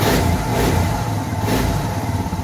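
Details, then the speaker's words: Suzuki DR650 single after fitting a K&N air filter and UNI secondary breather filter: steady low thump with even beats and no pops or crackles; the slight popping and backfiring from the stock filter is gone, with no missing. "I don't know if I would call it quite a pop, but there's not that little bit of popping backfiring that I used to get with the stock filter. It's not really missing at all. It sounds great."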